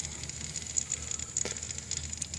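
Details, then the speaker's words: Mazda RX-7 rotary, hot after running and hunting idle, just shut off: faint crackling sizzle like liquid on something hot, traced near a heater hose; suspected leak while checking for vacuum leaks. "i killed it here you hear the sizzling noise yeah there it is again where the [ __ ] it's coming from sounds like right in this area"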